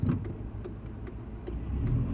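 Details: A VW Golf Mk5 at steady driving speed gives faint, loosely timed light clicks about every half second over road rumble. The rattle persists after a gearbox-side engine mount was replaced; heat shields and exhaust mounts were checked, and a driveshaft is suspected.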